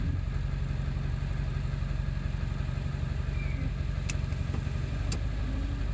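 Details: 7.3 diesel at idle after ICP sensor replacement, still running poorly: an uneven, lumpy beat around four pulses a second with no smooth rhythm; rough idle, cause not pinned down.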